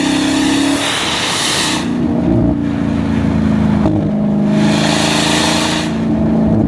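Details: Dodge Demon 170 under hard acceleration: a hissing, compressor-like whir rides over the engine roar in waves. The first engineer called it normal intake noise; ticking and a check engine light followed, and a second engineer found the entire exhaust system needs replacing.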